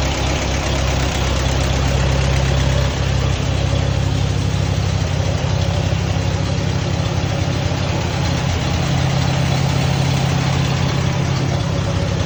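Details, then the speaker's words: Allis-Chalmers WD tractor engine idling normally just after starting cold in a shed at about 35–36°F, choked then choke pushed in, after fuel sediment trouble; steady even low chug about three beats a second, no misses, hunting or knocks. "okay that's what's supposed to sound like so far running good"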